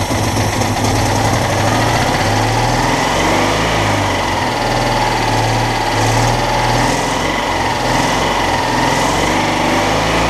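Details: Citroën Dyane 6 that would not hold idle, after cleaning the carburettor jets and suspecting an air leak at a gasket from a missing screw: small air-cooled twin now idles steadily with an even chug, intake suction noise still audible.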